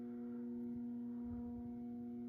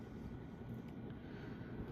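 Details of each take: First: Moss Heirloom Olympus 52" ceiling fan (antique brass, cane blades, made by CEC early 1980s) on low at about 55 RPM, trim pot likely at factory setting: a strong, steady electrical buzz from the variable speed control drones under the quiet motor hum, one of the loudest such fans the owner has. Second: Early-1980s CEC-made Moss Heirloom Olympus 52-inch ceiling fan on high (motor rated 250 RPM): steady even whoosh and low constant hum, no knocks or rattles; 13–14° blade pitch slows high-speed low-torque motor; normal run.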